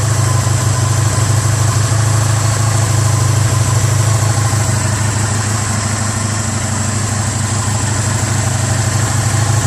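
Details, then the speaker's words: 1985 Honda Sabre VF1100 V4 after a full carb cleaning, having sat four to five years; running without air box or filter, fuel by funnel, choke off: smooth even idle, steady low throb, no misses. Normal idle. "all right so I would call that a successful carb cleaning"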